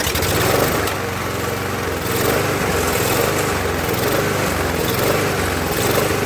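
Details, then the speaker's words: Murray mower with Briggs engine, after refilled bowl, started and idled: hunts up and down about once a second at idle; owner suspects loose intake air leak, intake later looked okay. "You know what it could be? Could be the intake. Let's take a look. Maybe the intake loose."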